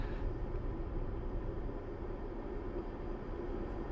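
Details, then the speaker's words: RV rooftop air conditioner (bedroom unit) after sound-deadening mat added, about 45 dB measured: steady low rush of air with deep hum, less rattling and lower tone; remaining noise mostly fan airflow. "about 45 over here not a whole lot different most of it is definitely sound definitely the air noise but I do believe there's less rattling and a little bit lower tone maybe that in itself is nice"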